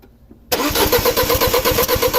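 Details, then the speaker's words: 2006 Audi A4 2.0T FSI misfire case, cranking: starter spins fast with about eight slightly uneven compression beats a second, air felt escaping; one cylinder losing compression through a leaking valve, found hot. "so guys from cranking the engine look at this that's the valve that's hot that's the one that's leaking"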